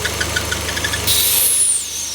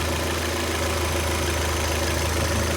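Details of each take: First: Citroën C4 Lounge at idle, at first thought to be a gearbox noise, with light ticking and then a sharp hiss like a slipping belt near the oil cap. The cause is a vacuum leak from a torn breather membrane inside the cap. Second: Citroën C4 Lounge after replacing the oil filler cap, whose vacuum membrane had torn and caused a false-air intake noise and power loss: a steady, even low idle hum with no tapping or rattle, noise gone.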